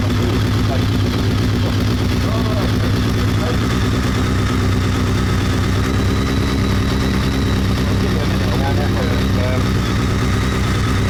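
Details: BMW K1200 R motorcycle, sat for two years, after fault reset and throttle cable check, warm at just over 100 degrees with fan running: steady, even idle with smooth low beat, no stumbles or misses; slight clutch rattle noted.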